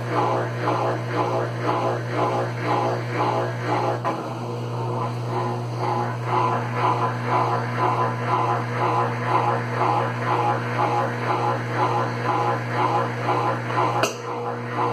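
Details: Consul Facilite CWC10 washer that would not power on, fixed by replacing the power board: a steady low hum with an even rhythmic swish about twice a second, smooth and unbroken. The spin cycle sounds normal.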